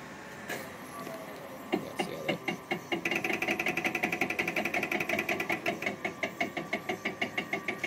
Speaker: so what that is it gets to a stop position and runs for a certain period until it gets to its stop position and then it bo bo boom bo bumps up against the stop position